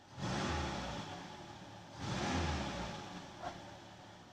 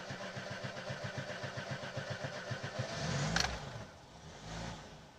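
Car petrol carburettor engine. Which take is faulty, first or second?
second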